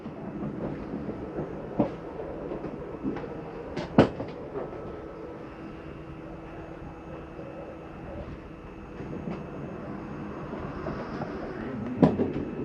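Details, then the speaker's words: 2012 Montana 326RLRT RV on shore power, all slides run out on one button: steady low electric drone with a few dull clunks as the bedroom, wardrobe and kitchen slides travel out; slide motors working normally. "hit in, this entire thing's going to start opening up for us. The bedroom slide up there, wardrobe slide."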